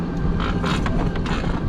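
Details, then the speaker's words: C5 riding on the road: short rasping creaks over the rolling drone from the rear wheel and chain; earlier brakes suspected, now chain tensioner or something else suspected, not confirmed. "i don't like that sound at all i don't know if it's the tensioner or something else but it's not good"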